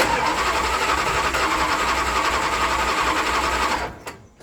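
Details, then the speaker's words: International Scout II sitting 6 months, cranking on a good Optima battery with good spark: starter spins steadily near four beats a second without catching; cranks but no start, no fuel reaching the carburetor. "okay definitely don't have fuel to it got a good sparking with battery s in it"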